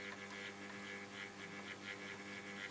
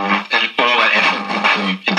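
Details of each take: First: 1947 STC Bantam C141 valve mantel radio under restoration, B+ at about 150 V, antenna added: quiet steady mains hum and no station reception; the fault was a valve not fully seated in its socket. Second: 1947 STC Bantam C141 valve radio after restoration (reseated valve, filter caps), powered up slowly to about 200 V: clear music comes through steadily with no hum, crackle or dropouts; receiving normally.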